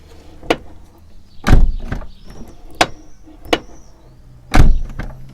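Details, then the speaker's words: Toyota Corolla (E150) door, after about three years of ownership: loud isolated clunk each time the door swings open, quiet background; worn door check rollers suspected, Litol-24 grease not curing it. "Ограничители не справляются . Как только дверь будет открыта. Ограничители должны это удержать. Черт, это просто ужасно раздражает."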